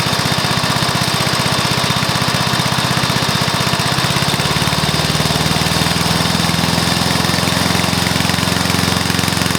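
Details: Briggs & Stratton mower engine, first start after new piston, rings and valves to cure oil consumption from loose rings and worn valves: steady even putter settling to a smoother, faster beat; normal running.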